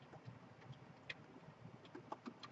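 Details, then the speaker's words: HVAC condensate pump one-way check valve being blown back and forth with compressed air (with water) to clean it: light, irregular ticks and rattles as the ball moves freely in its seat. Check valve ball moving freely. "so you can hear the ball moving back and forth in there"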